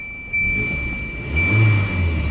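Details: 1992 Volvo 240 DL, traded in by its long-time owner, at start-up: it settles into a low, even idle with the classic door chime ringing over it; the engine sounds healthy.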